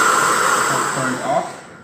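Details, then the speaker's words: Electrolux vacuum cleaner after reseating the hose handle connection, power head plugged in: strong steady airflow whine with hissing rush, then spins down; now working. "now power hack plug it in and now you will see that this thing is actually working"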